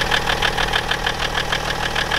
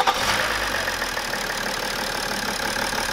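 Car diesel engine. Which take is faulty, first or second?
first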